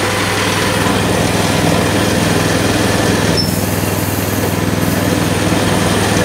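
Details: Coleman CT200 mini bike with a non-adjustable carb, rear wheel up on a jack: the small single revs fast and steady at idle right after starting, and the centrifugal clutch engages and spins the wheel.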